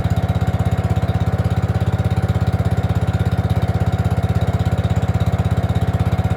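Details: Gravely 5665 freshly fitted with a China carburetor (after a 15hp carb was tried): an uneven single-cylinder idle thump of about 200 a minute sounds lean and needs partial choke to keep running.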